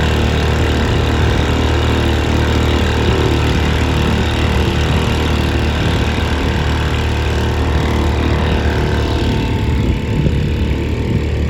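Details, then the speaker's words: 1938 Bendix Eclipse SMD 2.25 hp single-cylinder antique outboard, saved from scrap: steady, even fast putter, no knocks or misses, slightly weak; runs pretty well but sounds barely enough compression, unsure if normal, modest throttle response. Normal running, low compression suspected. "so you can see it's not a Powerhouse but it runs pretty well uh I was surprised uh again it sounds like it barely has enough compression"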